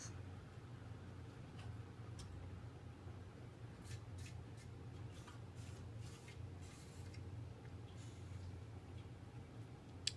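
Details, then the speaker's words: 1988 Sears (Encon) 42" Spinner ceiling fan coasting down: low rough hum with scattered dry ticks and clicks from terrible worn bearings, though the spin-down is decent. "surprisingly the spin Down's decent for a fan with the bearings that sound like crap"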